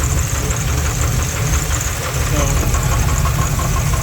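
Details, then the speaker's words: 1984 Dodge Ramcharger 360 LA V8, water pump belt disconnected, good oil pressure: dull regular knock at idle that stays when revved; caused by wrong front counterweight plus counterweighted torque converter, externally balanced at both ends. "goes away when you rev it. Well, I guess it doesn't. You can still hear it. It sure is there. Got good oil pressure just like the rest of it."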